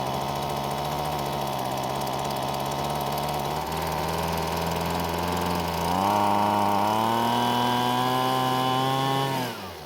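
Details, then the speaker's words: Husqvarna leaf blower two-stroke, compression and spark confirmed good, started without choke: it catches and runs, buzzing tone climbing once it clears; carb tends to flood the engine. "so from this last test start I think I know what's wrong with this machine it would seem that this carb has a tendency to flood the engine"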